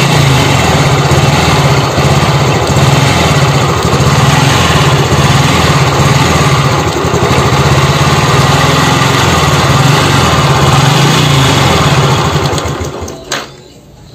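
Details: Honda Revo Fit fuel-injected engine with a broken idle air adjuster in the throttle body: harsh, uneven clatter over a lumpy idle that sags and stalls, from worn camshaft bearings; the engine keeps dying.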